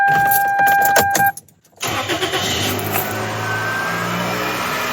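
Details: 1998-02 Corolla/Prizm 1.8L after hydraulic belt tensioner replacement: dash chime, short crank, then smooth steady idle with no belt squeal or chirp; new tensioner is solid with no play.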